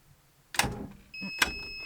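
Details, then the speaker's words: Mercedes 508 van that won't start, start attempted with a jump starter. A couple of clicks, then a short high warning beep from the jump pack with very weak cranking; owner suspects the batteries are too deeply discharged. "Yes! Crap. What's beeping? The jump starter."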